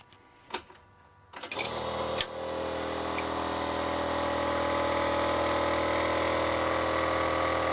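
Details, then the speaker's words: Thomas-type 12 V brake vacuum pump installed in electric car, rigidly mounted without vibration isolators: loud buzzing drone pulsing about four times a second, very noisy inside the car; isolators needed. "it's quite noisy especially from the inside the car I went looking around for vibration isolators"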